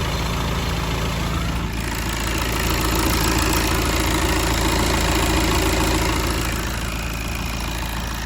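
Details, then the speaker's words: 2015 VW Golf Mk7 2.0 TDI (CRBC) diesel after timing belt and water pump replacement, belts checked from underneath: steady even idle with light rhythmic clatter, no squeal or flapping from belt drive; normal idle. "You see that's all running nicely."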